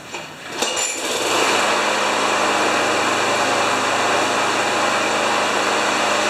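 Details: John Deere JS30 mower with a Briggs & Stratton Quantum engine, poorly maintained, used to run five seconds then quit (carburetor probably plugged). After the repair it clatters as it catches, then holds a steady high buzz without surging: normal running.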